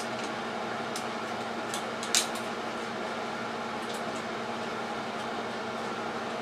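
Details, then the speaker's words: Ceiling fan after WD40 sprayed on moving parts to fix squeak: even airy whir with faint steady hum and one brief click, no squeak; fan now runs smoothly. "quieter there I guess I should have let you hear it squeak before but it was bad enough that I didn't want to I didn't want to turn it on I can handle that noise though"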